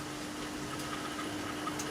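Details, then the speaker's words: Australian-made Sangamo HMT watthour meter (Warburton Franki) running on test; faint steady hum with thin higher tone under light ticking; it runs noisily, cause not identified. "boy it's noisy haha my god it's noisy"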